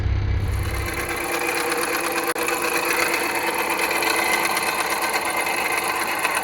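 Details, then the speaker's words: 2010 Jeep Patriot Sport 2.0 at steady idle: fast light metallic chatter at engine front; first blamed on power steering pump, replaced without cure, then pulleys; alternator replacement fixed it. "2010 Jeep Patriot sport 2.0 weird noises coming from the engine I thought it was the power steering pump"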